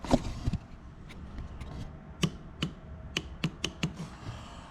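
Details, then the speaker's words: BMW E39 M5 VANOS rebuild: a cleaned VANOS solenoid valve is bench-pulsed, its connection and resistor needing no resoldering, giving sharp separate clean clicks. Normal solenoid valve clicking. "Oh yeah, you can hear that. It's nice, perfectly ready to go."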